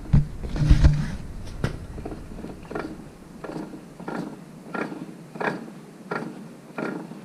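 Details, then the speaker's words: 60-series ute front diff at 18,000 km after 4WDing, pinion leaking oil, breather possibly clogged: rhythmic low thump and rumble about 90 times a minute while turning, from worn outer pinion bearing; diff being replaced. "that's also why i'm changing this diff i put the diff in when i put the diff in this car we checked the ring gear bearings the main carrier bearings we didn't check the pinion bearing which like there and in there where that noise is coming from it's coming out of the outer back of the pinion bearing"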